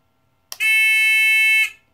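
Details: TX-2003 Chinese pinpointer metal detector after modification with sensitivity adjusted all the way up: steady, piercing high-pitched tone holds about a second, squealing nonstop; back off until it just cuts out.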